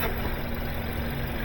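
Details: 2021–2024 Kia K5 1.6L turbo GDI idling after removing an object blocking the intake airflow that caused a collapsing hose and hiss: quiet, even idle with a smooth low hum and no whistle or rasp; normal idle.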